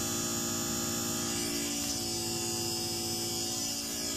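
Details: LA4440 IC USB amplifier board, with a steady, unchanging buzzy hum of many stacked tones and no rhythm, pointing to an earthing fault on the board: ground loop hum.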